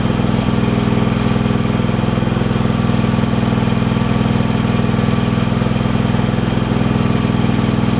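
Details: Craftsman Pro small engine with a new carburetor, fitted to fix surging and rough running: holds an even, steady speed with no surging before a minor air-screw tweak.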